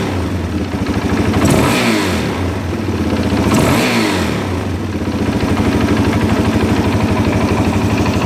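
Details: 2001 Suzuki DRZ400E with a Wiseco aftermarket piston: a rhythmic metallic knock rising and falling with throttle blips, suspected piston slap compared with the stock piston; the owner notes a misset cam chain tensioner sounds less rhythmic.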